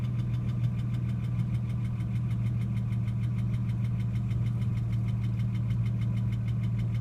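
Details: Ford AU XR6 at idle: sharp, even ticking about six per second over a steady idle, appearing only after revving above 4,000 rpm and fading over about 5 minutes; cause unknown; engine ticking noise.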